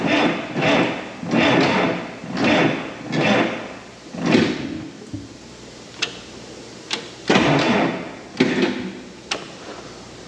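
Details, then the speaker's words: Auction roller being rewired, master switch on, in neutral: slow laboured cranking that surges about once a second and never catches, then only clicks. Batteries suspected too weak to spin it, not confirmed; plan is to charge them. "I think we're going to have started we just need some more ponies to get her going so tell you what I'm going to do I'm going to put this thing on the battery charger let these batteries charge up a little bit"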